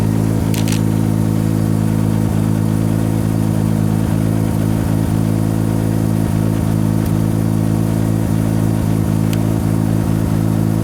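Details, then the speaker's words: Mazda RX-7 rotary with a hard-start issue, running after plugs refitted and EGI fuse back in: steady drone with faint uneven ticks every couple of seconds, smells of raw fuel; runs a bit rough, cause unconfirmed. "so here we go see how rough it was smells like a lot of raw fuel too"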